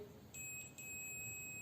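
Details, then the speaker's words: Multimeter on continuity test across a switch's normally open contact: quiet, then a clean high steady beep as the switch is pressed and holds, showing the NO contact closes properly. "Beep की आवाज आ रही है यानी कि ये contact भी सही काम कर रहा है"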